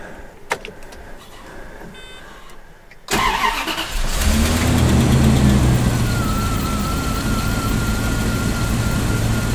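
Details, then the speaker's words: 1999 Bentley Continental R wide body with Zytek engine management, started cold as an example of correct modern-style starting: short crank, then it catches at once and settles into a smooth, even fast idle with no misfire or knock. "so i'm going to start this bentley now and we can hear the difference in the way it all performs"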